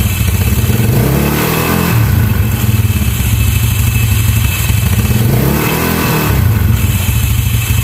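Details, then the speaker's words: Yamaha Mio scooter idling with a busy, scraping metallic rattle after a local starter one-way clutch was fitted. Its overly stiff spring causes the noise, worst at idle, and the fix is trimming the one-way clutch spring. "Jadi karena per tersebut ya, karena per yang cukup keras tadi akhirnya menimbulkan suara yang berisik tadi ya teman-teman dan ini benar-benar risih sekali ya dan saat langsam ya apalagi saat langsam ya atau stasioner ini sangat berisik sekali"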